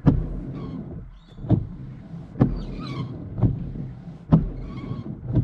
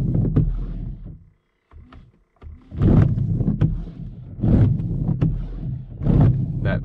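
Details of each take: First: After coconut oil on the wiper blades and polish on the windscreen, wipers sweep a dry windscreen with a soft even swish and a light thud at each turn. The previous shuddering and vibration are gone. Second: Car windscreen wipers chattering: rough juddering rasp and squeak on each sweep, about every second and a half, as blades grip the glass too much; fixed by applying coconut oil.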